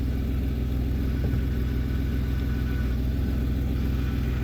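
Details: 2008 Pontiac G6 3.5 with new aluminum power steering pump, still breaking in, steering at full lock: engine idles evenly with no groan or rising whine from the pump; normal power steering.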